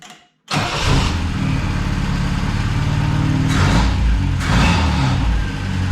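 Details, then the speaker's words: Saab Sonett after fitting a different distributor rotor: short crank, catches straight away and holds a steady, even idle with light blips. Normal start and idle; a failed rotor is suspected as the cause of earlier stalling. "oh my God it works it runs it runs great"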